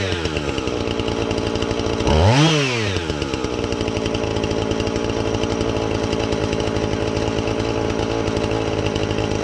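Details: Husqvarna 450 X-Torq chainsaw that wouldn't run, new chain and bar fitted, started to check and adjust the carb (special adjusting tool bought): steady idle, clean rev up and down without bogging, back to even idle; normal running.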